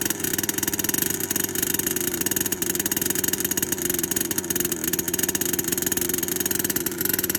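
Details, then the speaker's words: HPI Savage Octane RC after rebuild, timing sensor repositioned, needles at base settings, no choke, primed: fast, even, high-pitched buzz with no misses or surging; running cleanly and steadily. "so the octane is running there were multiple things wrong with this car"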